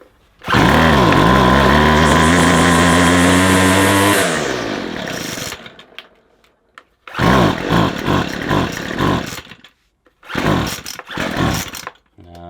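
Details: McCulloch 250C XL X-series two-stroke strimmer after a fuel filter change; it doesn't seem to suck fuel well, and the carburettor diaphragm is suspected. It screams at full throttle, fades and dies, then gives ragged bursts with no tick-over.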